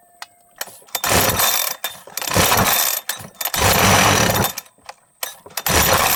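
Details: Husqvarna 372XP two-stroke chainsaw with pickup and starting problems, before tuning the carburettor L, H and LA screws: revs blip in bursts with a sputtering lag before each climb, then drop back quickly. Poor throttle pickup; cause suspected, not confirmed.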